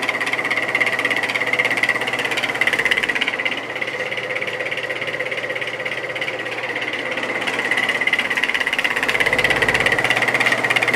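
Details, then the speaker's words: Vintage GE 3-speed reversible window fan F11W3, 2.5 A, on high blowing outward before repair: loud hum with steady pulsing wobble about three times a second and shrill tone; motor shaft loose in rotor. "you get the point it's not sounding good at all and I'm hoping it's just a washer issue"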